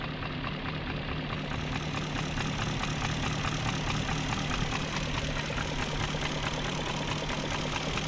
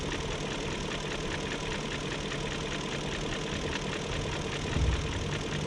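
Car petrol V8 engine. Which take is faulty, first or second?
second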